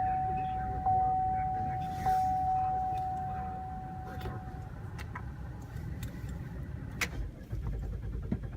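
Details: GMC Acadia with a 2-month-old battery: steady starter cranking at about three to four turns a second under a chime tone, never catching. Crank, no start, cause not evident.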